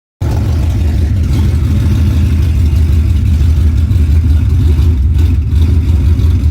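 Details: Ford Coyote V8 Mustang with 10R80 transmission and Comp Cams Stage 2 camshafts: deep, uneven lumpy rumble with choppy rhythm as revs rise; big-cam lope, not a misfire.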